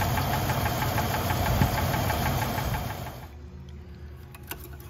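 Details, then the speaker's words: 190,000-mile engine at the oil change where a quart of Lucas Oil Stabilizer is added. A rough idle with a sharp tick about three per second at the top of the motor, present at morning start and persisting when warm: lifter tick and knock. "the reason i'm wanting to use this now is because of the engine tick and the knock on the top of the motor when you start it up in the morning sometimes even when you warm it up that tick doesn't go away"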